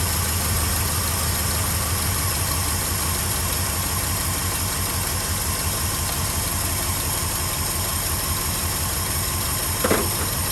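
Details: 1967 Ford F-350 Custom that sat about 10 years, running on its old uncleaned ignition points: steady, even idle with a low rumbling beat held constant; normal idle. Carburetor accelerator pump diaphragm leaking badly.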